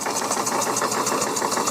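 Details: Coal-fired model puffer steam boat engine after bypassing a faulty reversing valve that leaked steam into the exhaust, boiler piped direct to the engine: crisp, even exhaust puffs at about eight a second with plenty of power, no wheezing leak.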